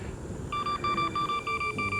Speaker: so here's another issue that you might run into is if you're going downhill you're obviously going to get momentum and then what is it going to start doing it's going to start beeping at you